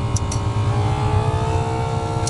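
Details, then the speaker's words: ZAZ 968 autonomous heater, first start after revival, flap closed: steady deep jet-like roar with dominant low rumble as it spins up, pump working; heater running normally at full output. "И, слышите, печка гудит. Сейчас заслонку закрою. Опа! Что это? Такой звук, как будто реактивный"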